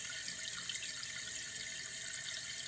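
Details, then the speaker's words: Toilet after new flapper valve, adjusted chain and new fill valve, refilling after about six flushes with a steady hiss, no whistle or surging; it shuts off with the water level close to an inch down, where code requires; normal. "it's already been through about six flushes and you're shutting off"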